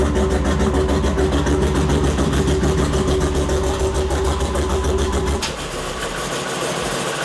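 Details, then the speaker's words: Car at idle: rumbling exhaust, then a clear drop in loudness as the exhaust cutout valve closes and gas flows through the full system and muffler; normal idle, quiet like a normal car. "So there's a valve in the exhaust that lets the exhaust either come out, which is when it was noisy, or now it's going through the whole exhaust system using the muffler and it's quiet like a normal car."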